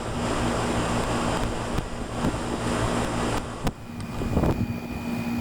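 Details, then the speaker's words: 1995 Tempstar 5000 air conditioner condenser, 30 years old, at its first startup of 2025 after sitting since about October: a few clicks as it starts, then a steady low hum with a soft fan whoosh, running normally. "Getting warm. Hear the compressor getting the juices flowing."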